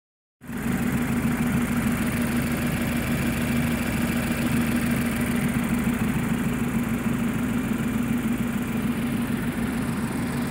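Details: 2010 Mazda 3 MPS first start after forged build with Wiseco 9.5:1 pistons, Manley rods, balance shaft delete, BNR S3 turbo and 3" catless open exhaust, tuned for 400hp at 1.6 bar: steady, deep, even idle with a raspy exhaust and no tapping; normal.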